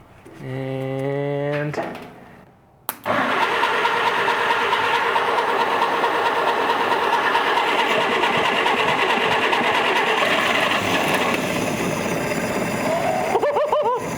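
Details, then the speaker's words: 1947 Willys CJ-2A, not run in 30 years, first start after cylinders soaked in oil: after a short crank it catches and keeps running, but lumpy and uneven; rough running. "and it ran it didn't ran good it didn't ran good but it [Music] ran"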